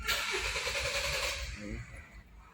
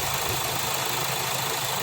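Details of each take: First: Kia Sportage/Hyundai Tucson, crank-no-start complaint: starter spins briskly about a second and a half but engine never catches; cause found to be a loose camshaft position sensor connector. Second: Kia Sportage/Hyundai Tucson, after cleaning the loose camshaft position sensor connector: engine catches and holds a steady idle under hiss, no stumbling; starts and runs normally now.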